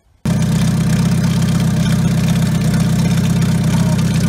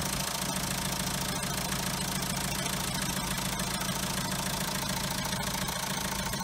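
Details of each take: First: Car run with the faulty turbo removed, after chasing a noise blamed on the new timing chain: engine catches and settles into firm even low idle, no whistle or rattle; noise gone, confirming the turbo as the cause. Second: Diesel car with original French turbo, noise began after timing kit, water pump and tensioner were replaced: sharp metallic ticking, three to four a second, over idle; metal on metal, turbo shaft broken inside.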